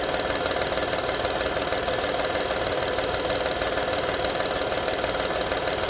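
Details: 2012 Honda Odyssey engine at steady idle: fast, fairly even rattling tick, about three per second, over the engine; engine rattle at idle, source not pinned down.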